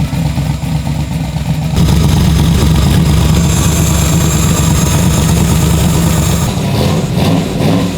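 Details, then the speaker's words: Turbo Chevrolet Nova engine, first start with no tuning, after two cylinders found not firing: heavy lumpy idle that surges and stumbles with a wet spitting beat, spitting a lot of fuel; rough idle from untuned over-fueling. "I mean I know it's not running super well uh it's not really going to either because this is no tuning whatsoever but we are obviously spitting a lot of fuel out"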